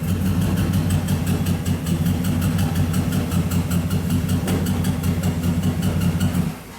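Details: 2007 Cadillac Escalade V8 idling with uneven loping beat and regular stumble; check-engine and traction lights flash; swapping coils 8 and 1 kept the misfire on cylinder 8, coil ruled out, spark not yet checked.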